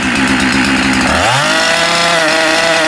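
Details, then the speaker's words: Husqvarna 372XP chainsaw starts and idles but cuts out when revved; revs climb then the note drops suddenly and breaks up under throttle. Owner believes the ignition module/coil is failing; replaced, with coil pickup air gap set. "this has a running problem so it starts up it idles but it cuts out when you rev it up so you can hear it just kind of cutting out and i believe that the problem with this is the ignition module for a coil whatever you want to call it"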